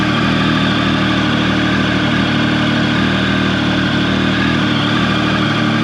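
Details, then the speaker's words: Triumph 1050 motorcycle, about 14 years old, cold start at about 48-49 degrees: steady raised idle holding evenly with no hunting or ticking while warming. Normal cold start high idle. "Still got high idle going."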